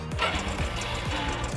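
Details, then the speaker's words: WS110 single-cylinder, idling with cover off: fast metallic clatter with rhythmic top-end rattle; stretched cam chain that has also worn the cam sprocket, to be replaced. "Đó, chiếc cam nó kêu như vậy đấy. Thì cam hiện tại tầm này thì nó quá trùng rồi, nên là chúng ta cần phải tháo ra và để thay."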